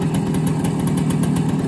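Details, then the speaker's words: 1971 Kawasaki G3SS 90cc two-stroke, about 11 hp, running non-ethanol 90-octane fuel after restoration; quick even popping idle beat, no misses or rattles; normal two-stroke idle. "the bike factory made around 11 horsepower and I would say that we're fully um at that point now and uh it runs really really well"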